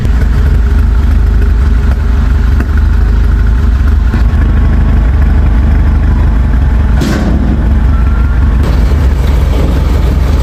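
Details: BMW F32 with iPE exhaust at idle, with loss of power and drivetrain error: lumpy uneven idle with irregular low thumps through loud exhaust; mechanic found misfire caused by ignition coil problem.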